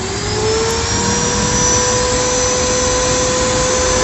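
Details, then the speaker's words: Modern SIM-100B angle grinder after bearing replacement and carbon brush seating: spins up to a steady clean high whine, no rasp or roughness, slight noise on the left side; motor runs smooth. "Hi, if the sound is smooth, it's not a bit rough, but there's a little bit of it on the left side."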